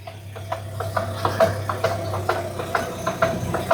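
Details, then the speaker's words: Car on a jack, engine running in first gear with the clutch only, no throttle, wheel steered: steady run of light clicks, a few each second, over a calm idle; worn CV joint needing replacement. "Dá para escutar aquele barulho que a gente escutou no vídeo numa frequência menor. Certo? Bom, conclusão, a homocinética desse carro aqui precisa ser trocada."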